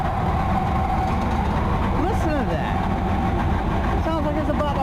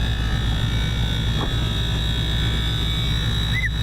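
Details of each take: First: AAON rooftop HVAC unit that is not working: loud, rough, steady roar with a wavering squeal on top from the blower motor; failing blower motor, unit later shuts down. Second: AAON rooftop HVAC unit, where a cracked belt had been found: a low steady hum with a faint constant high tone, running quieter than ever with no rattles or grinding; normal running.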